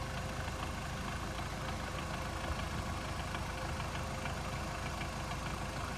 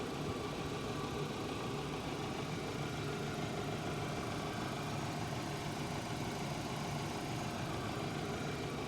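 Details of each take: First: 2008 Hyundai Accent, warm after 30 km, idling in neutral, phone placed on the left side: faint, irregular light knock about three per second from the gearbox area; owner suspects the release bearing or input shaft bearing, cause unconfirmed. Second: 2008 Hyundai Accent, cold engine, phone placed on left side near gearbox: smooth, even idle hum with no tapping; knock from transmission area appears only when hot, suspected release or input shaft bearing; normal idle.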